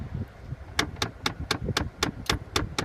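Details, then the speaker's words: 2008 Dodge Grand Caravan, engine running, switching from defrost to recirculation: rapid, even knocking behind the dash, about four a second, from the fresh-air/recirc door motor out of calibration. "basically anytime I go from defroster resir I get this banging sound in my"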